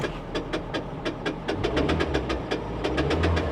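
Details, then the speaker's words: Honda Insight at auction, idling: sharp, evenly spaced ticks about five a second from a wobbling crank pulley, seen on inspection. The noise faded when the AC came on; the car has no power steering. "that noise is going away because the air conditioner came on that's a pulley guys"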